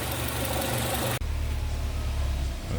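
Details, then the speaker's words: Peugeot 307 SW four-cylinder after antipollution/vacuum leak repair: steady, even low idle, all four cylinders firing evenly with no misfire; MAP now normal at about 390 at idle, normal idle. "Kalau mesin ini udah rata ya, hidupnya udah rata per silinder per silindernya itu 1 2 3 4 udah enggak pincang lagi."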